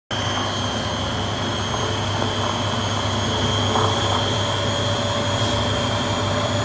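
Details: Beko D5 7101 washing machine with plastic tub, before bearing and seal replacement: loud continuous roar with a steady high ring through the spin, the drone of worn drum bearings needing replacement.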